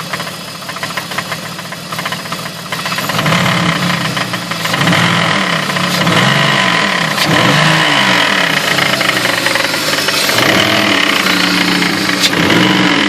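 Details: 2003 BMW E46 with rough idle despite new spark plugs: quick, regular knock from front of engine grows louder as throttle is blipped; owner suspects slightly leaking water pump, unconfirmed; knock worse with throttle.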